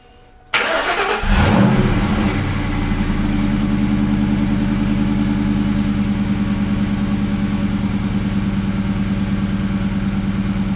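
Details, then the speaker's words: Ford Mustang Bullitt V8 at idle with stock H-pipe and stock mufflers, before JBA off-road H-pipe swap: deep, slightly uneven burble with occasional stumbles, a slight erratic idle miss; owner suspects the O2 sensors. "And I do have a little slight miss at idle, erratic miss. And I'm thinking it might be the O2 sensors."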